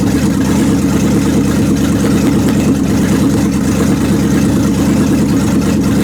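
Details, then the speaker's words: 1929 Chrysler with 360 V8 and cleaned-up 727 TorqueFlite, jacked up, manually in reverse after topping up fluid; steady even idle rumble with converter loaded, brakes slowing wheels, torque converter audible; owner suspects gummed-up valve body. "brakes are slowing it down a little now and I can hear the torque converter"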